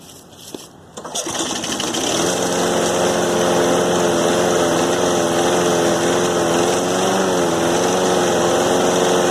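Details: Cub Cadet small engine running after a brand-new carburetor and plunger gasket were fitted, primed and recently run; catches after a couple of pulls and settles into a fast, fairly steady drone; any remaining trouble unclear.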